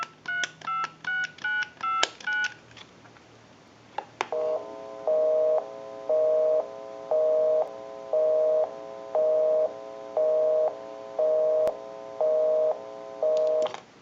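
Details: Clear Trimline touch-tone telephone after initial checkout and repair: crisp, even dial tones one after another, then a steady once-per-second busy signal when calling a busy number; the phone dials out properly.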